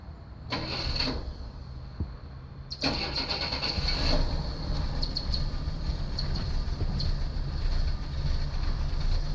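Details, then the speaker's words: 1964 Chevy II engine after new plug wires and contact points set, strong spark confirmed, unsure of fuel in tank: two bursts of quick, even starter cranking, brisk regular rhythm, no dragging or clicking; cranking healthy. "contact points are set up right I don't even know if there's gas in the tank that sounds really good just foke a little bit"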